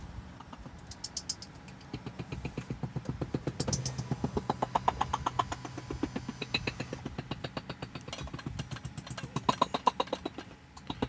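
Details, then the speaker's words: Tesla Model 3 speakers give a rapid crackling stutter of about four clicks a second on every station and with the turn signal. It started after shifting into reverse during a phone call: an infotainment audio glitch, fixed by rebooting the console. "I just had a phone call and while I was on the phone I put the car in reverse and then my audio went out and now it makes this like just noise basically this flickering noise"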